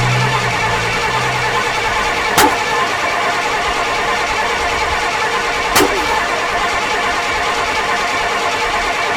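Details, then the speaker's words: 1968 Pontiac LeMans that sat 23 years, first start attempt after fitting an HEI distributor: long steady cranking with periodic clicks and no catch. Spark is reaching the plugs and fuel is present; suspected flooded. "we're getting spark to the spark plugs but it's not starting up"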